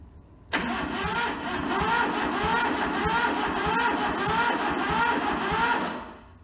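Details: Toyota SDK4 skid steer diesel, bought rusted and frozen, on a temporary diesel tank with the starter solenoid jumped. Starter grinds it over with even compression pulses for about six seconds but it never fires; cranks, no start, injectors not yet bled.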